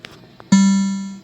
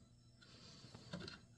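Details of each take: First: Mortal Kombat II arcade sound board, previously silent, after replacing bad caps, a bad ROM and U17 with a reprogrammed ROM: a single clean plucked note rings out and fades evenly, with no crackle, hum or distortion; board playing properly. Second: Mortal Kombat II arcade PCB soundboard after reprogramming a chip: quiet uneven static hiss bursts and sharp clicks over a low hum, with no game audio; owner needs the correct Jed file.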